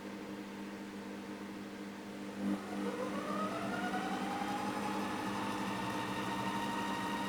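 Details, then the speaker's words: Monsieur Cuisine Smart in adapted cooking mode, mic about 30 cm from the bowl: the motor spins up from speed 4 to 10 with a steady, loud, rising whir. There are no knocks or grinding, which is normal. "it is quite loud. And then when I get to speed number 10, as you can hear, it is quite a loud device itself, especially if you add ingredients to it."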